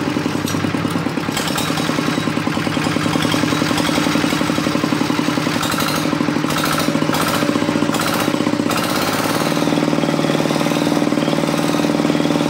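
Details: RD 85 S-series single-cylinder diesel, which previously failed from oil starvation, after replacing crankshaft and bearing shells: even, steady thumping about four beats a second, no knocks or misses; runs smoothly.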